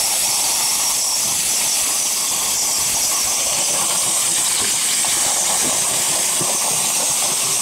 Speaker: start it up some water running reverse today definitely a runner like I said we put this on the end because it don't mind water so much